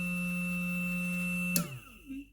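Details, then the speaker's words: Motor on a 12 V relay circuit (battery almost 12 V) switched on and running normally with a smooth steady low hum and clean whine, spinning down when power cuts; normal running. "if i close my switch you can hear the motor is running you see that"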